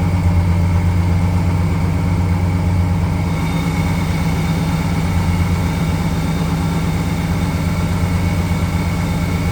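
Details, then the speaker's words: Stock 454 SS pickup big-block V8, cold start after sitting a couple of years: low steady idle with a faint constant whir, a louder accessory-drive noise; owner suspects an idler pulley, air pump or AC clutch bearing, not confirmed. "Well, there's definitely something gotten louder under there. Maybe an idler pulley or my air pump or Maybe it's the bearing in my AC clutch."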